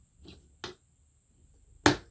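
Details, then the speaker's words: Singer/Silver Reed SK150 knitting machine stitch dial: few sharp clicks with one crisp snap as the stitch-size slide post seats into place; normal snap-on seating. "aha and you should hear the positive yeah you should hear it snap in and what it is is that post that I showed you in the back that controls the slide for Stitch size you'll hear that when it pops into place"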